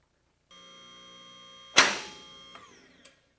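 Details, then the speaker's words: Advantage lift leveled and run up on its power unit: steady pump hum, then one sharp click with faint ticks as all locks engage at once, showing correct lock synchronization. "And so now I'll turn it on and you'll listen to the lock and you'll hear the one click, meaning that all the locks are engaging at the same time."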